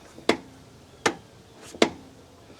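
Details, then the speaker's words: Sharp single pops about every three-quarters of a second as the door of a Mercedes ML55 AMG (W163) swings open and closed; the popping is from a worn door check, which needs replacing. "this is the best second problem is the door check yep it's this"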